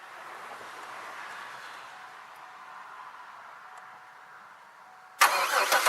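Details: 2002 Chevy Malibu after starter install, parked at an angle: about a second of fast, even cranking, engine spins but never catches; crank no start from lack of fuel.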